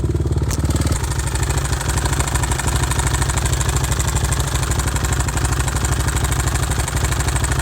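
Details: Older carbureted Suzuki RMZ 450, not rejetted after moving from higher elevation: fast, uneven knocking about three per second over a lumpy single-cylinder idle; rod knock suspected, seller claimed it is normal for this year.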